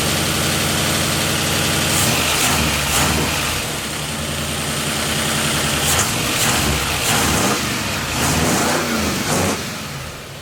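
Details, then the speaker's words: Ford 302 with a new cam and fresh Rotella 15W-40 oil, after fixing distributor timing that had been 180° off: a steady V8 idle with clean throttle blips that rise and fall smoothly, running healthy. "Sounds good. I call that a win."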